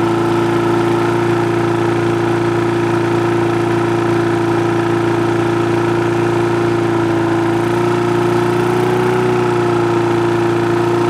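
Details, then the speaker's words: Push mower that wouldn't start, after the carb was cleaned, its diaphragm and gasket replaced and a spring replaced. The single-cylinder runs smooth and even at a steady mid speed, with revs lifting as the governor spring tension is increased. It runs normally. "all right guys so there you go it's uh running good there i was just kind of adjusting the rpm by increasing the tension on these springs by just pulling the levers right here and right here"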